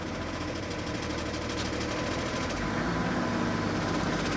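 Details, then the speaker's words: BMW E38 diesel, started to drive inside: light irregular knocking from the pulley rides over the idle and disappears immediately with a little revs. "So, let's start it up and drive it inside. As we hear, there is some knocking from the pulley, but it goes away immediately when you give a little bit of revs."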